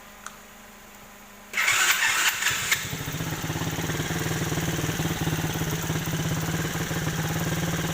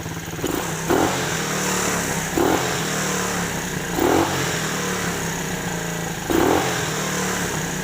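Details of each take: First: Chinese 125cc quad bike, abandoned, started after carburetor adjustment, not yet fully hot: catches after short crank, settles into steady even idle slightly high from a bit too much fuel; runs cleanly. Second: Chinese 125cc automatic quad bike, abandoned, engine not yet fully hot, oil due for change: small single idles a bit high with sharp clattery blips; likely too much fuel after carb adjustment, to be tuned down. High idle.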